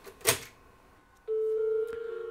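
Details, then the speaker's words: Macintosh booting from floppy: thump then tone dropping to lower wavering note, Sad Mac error meaning can't read system file; disk later found to be System 1, likely too old for this machine. "oh no we've got a sad Mac let me check that error okay apparently that means can't read system file"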